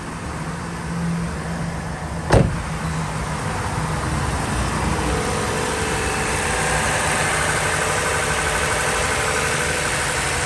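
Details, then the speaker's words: Toyota 2GR-FE 3.5L V6 first start after timing chain replacement: steady even idle, smooth low hum, no ticking or rattle after one clunk; a little smoke from oil spilled on exhaust pipes; normal idle. "she's running a little smoke cuz I had some oil spilled on some of the exhaust pipes so it's going to have a little bit of smoke but it sounds pretty good though"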